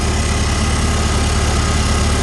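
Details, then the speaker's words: 1955 Farmall Cub with a cleaned fuel tank, inline filter and rebuilt carburetor. Steady, even low rumble with no misses, knocks or surging; running clean as a whistle. Normal idle. "so there you go touch key it's all cheap you can see it's just running clean as a whistle"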